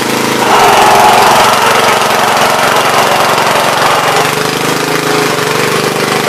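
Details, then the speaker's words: Troy-Bilt tiller, parked long, first run after fuel added: single-cylinder engine at a steady, slightly rough idle with no smooth pickup; dies as soon as the throttle is moved, friction disc also sounds worn. "funny going on here, because as soon as you mess with the throttle, it dies."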